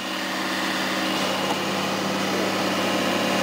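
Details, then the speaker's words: Rong Fu RF-31 belt-drive mill drill started and run in forward: runs very quiet, smooth steady motor hum with light belt whirr, no rattles or grinding; chipped motor fins don't affect operation; normal running. "we're gonna fire it up so you can watch it run we're gonna put it in the forward position there runs very quiet"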